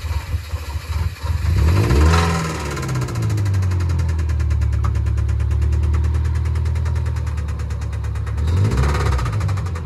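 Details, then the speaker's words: 2008 Subaru Impreza with EL15 engine, bought cheap, running with a heavy low knock about four per second under a steady rumble; a deep bottom-end knock suspected as rod knock, not yet confirmed before engine strip-down. "we're going to work out what's causing the really bad knocking sound in our new 2008 subaru impreza"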